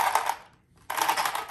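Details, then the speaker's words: Blackout XTE RC car owned eight years, drivetrain gears grinding with short harsh gritty bursts after batteries died repeatedly on a run to school; "not supposed to sound like that," cause unclear. "it's not supposed to sound like that that's when it started grinding it started grinding on the way to school"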